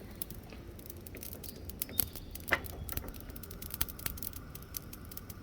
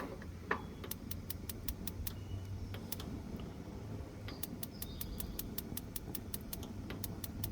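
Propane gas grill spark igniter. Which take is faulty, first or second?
first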